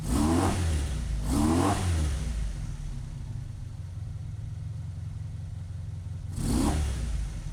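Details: 1985 Honda VF700F V4, hot, after carb rebuild, new pulse generators and idle screw adjustment: three quick throttle blips each fall straight back to a steady idle with no hang-up, suggesting it is likely neither lean nor rich.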